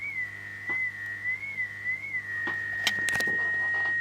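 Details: Mid-1930s vacuum tube radio under restoration, variable capacitor showing suspected silver mica disease: thin high whistle wavers in pitch then holds steady over clicks; cause not pinned down.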